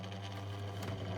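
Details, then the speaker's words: 2002 Lloytron F029 9-inch desk fan on low speed with oscillation on: steady low buzzing drone with a rough, strained edge that builds; the motor sounds raw and labouring. Owner suspects damage from damp storage; cause unconfirmed. "And oh dear, that sounds raw and horrible."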